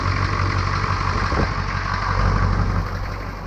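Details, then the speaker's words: 1982 K20 Suburban diesel 4WD 3/4-ton, sat 3+ years; after battery and cooling flush, restarted and idling with an even low steady rumble, no knocking or misfire; previous owner suspected head gasket; normal diesel idle. "all right so we're gonna fire it up and let it run"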